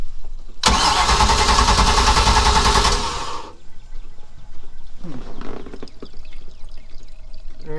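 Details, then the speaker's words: 1996 Baja Outlaw 20 boat, 5.7L MerCruiser V8: cranks and catches with a loud ragged burst for about three seconds, then stumbles and falls away; carburetor flooding because the float was adjusted wrong. "he said the float was adjusted wrong so hopefully that'll fix that flooding problem"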